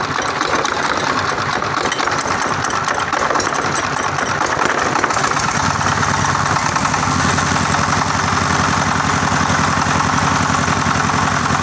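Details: New Tiger 24ND single-cylinder diesel, fan-cooled with electric start: steady, even thumping at idle, firing regularly with no knocks or misses; normal idle.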